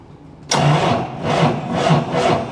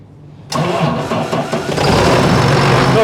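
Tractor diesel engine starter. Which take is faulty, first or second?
first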